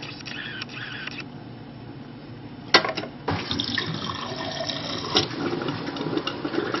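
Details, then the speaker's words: GE refrigerator GSS23WGTA water dispenser after installing replacement MWF manifold tubes and assembly (WR17X20860) for slow/no flow: water running with sputters and spits as trapped air purges through the pipes, then steadier flow; dispenser working. "A lot of air in the system that's purging through. You could hear the air coming through the pipes."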